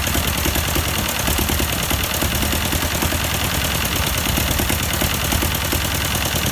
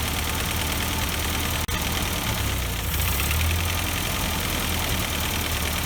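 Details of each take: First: 1952 Ford 8N tractor, unrun for years: four-cylinder runs rough with a regular skip in its chuffing beat; plug change helped little, owner suspected carburetor, but one cylinder was dead from exhaust valve stuck open. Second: Ford 8N tractor, partially restored, after tapping free a stuck-open number four exhaust valve; four-cylinder idle with an even low chug and a brief early cutout, then runs smoothly with no miss.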